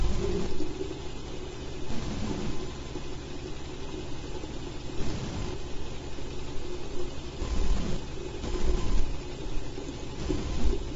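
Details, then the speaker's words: Home-built rotor with ferrite-core coils and magnet arrays, unbalanced and spinning fast: rough, gritty low rumble with uneven surges from crunching bearings, grinding even after WD-40; table vibrates. "you can hear my bearings crunching."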